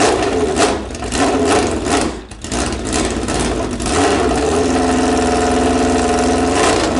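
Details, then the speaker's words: Suzuki Bandit 1200 running with no muffler fitted, carbs still needing work: loud, raw bark on start-up and blips, with a sharp crackle rising with revs; open exhaust. "all right this is sound with no muffler on it"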